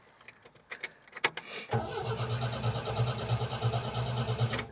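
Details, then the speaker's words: MGB, low compression on two cylinders, cold start: engine catches, then stumbles and hunts with uneven thumps about three a second as the choke flicked in too soon; rough running. "The choke was um not staying out. That's why it was going up and down to begin with. That was me trying to keep the bloody choke out."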